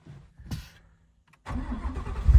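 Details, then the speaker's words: S550 Mustang RTR with Ford Performance Aluminator engine, cold start after sitting 6 months on an Optima battery: brief silence, then it catches at once and settles into a deep, rising idle with no stumbling; clean, normal start. "6 months of sitting, and it fired right up."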